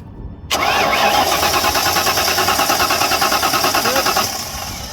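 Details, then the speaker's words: 1992 Ford Mustang GT Foxbody (306) that quit on the highway, in neutral, spark tester on plug: fast even cranking about three beats a second, never fires; no spark, distributor to be replaced. "we have no spark okay I'm just gonna change the distributor here"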